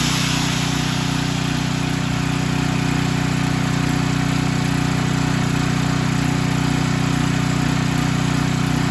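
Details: Storm Responder generator after its Nikki carburetor float/needle was fixed and a spark plug fitted, warming up: steady, even drone with a smooth firing beat, no misses or surging; running cleanly.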